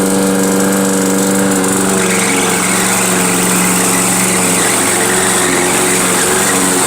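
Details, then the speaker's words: Toro GTS 6 hp self-propelled lawnmower running after a pull cord fix: a steady, even engine drone with a constant high screech from the self-propelled drive trying to pull. "self-propelled, so that's why you hear it screeching, because it's trying to pull."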